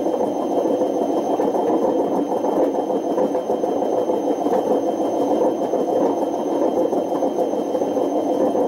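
A loud, rough roar with a squealing edge as the drum spins up. That is badly worn drum bearings, well past due for replacement.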